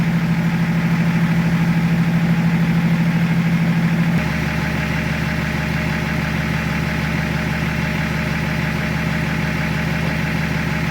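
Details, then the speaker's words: BMW E36 compact with replacement M57 diesel engine swapped in (old one 240k miles with valve float), first start after refit: steady, even idle with smooth low beat, no stumbling or knocks; running healthy. "So let's see how she sounds and hopefully it's alright. Sounds alright. I let it run for a couple of minutes before I give it a rev."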